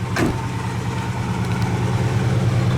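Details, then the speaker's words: 1967 Pontiac LeMans, numbers-matching 326 V8 with 4-barrel, heard from the rear; deep, even burble at idle after a short blip, steady and smooth, idles down nicely; healthy engine. "this is a 326 numbers matching motor, and it is, you know, it's got a 4-barrel on it, so it sounds good. Actually idled down really nice too."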